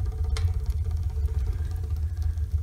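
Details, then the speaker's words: Homemade wood-burning garage heater with new intake air setup: deep uneven throbbing rumble with irregular low pulses as combustion starts buffeting and chuffing. "ear that some buffeting has started I think I'm going to turn it down don't like the sound of that very weird"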